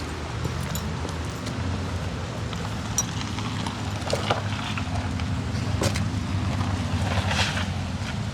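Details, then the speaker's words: 99-mile 1981 Honda CBX1100 with carbs rebuilt and tuned after sitting 40 years, all fluids new: steady even low burble at idle, no misses or knocks; runs better than one new in 1981. "I had one of these new in 1981 this runs better than my new one did 40 years ago"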